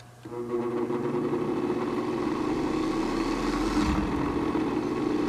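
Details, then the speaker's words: Vintage motor run with about 30% of the series resistor in circuit: hum climbs, hits a capacitor and main-winding resonance point and pulls itself back down, not reaching full speed; it reaches full speed once more resistor is removed. "quite. Still reaches that resonance point, pulls itself back down."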